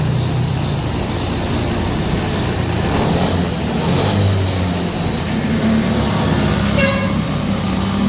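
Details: Honda Beat Deluxe fuel-injected scooter, throttle closed and cable checked normal: fast steady idle well above normal; high idle traced to the throttle body, fault keeping revs up.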